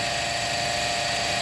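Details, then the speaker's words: Honda Civic at idle, listened to with a stethoscope on the belt tensioner; steady high-pitched hiss and whir over the engine. Noisy belt tensioner bearing, before replacement. "So, yan. Maingay ang tensioner bearing ng Honda Civic."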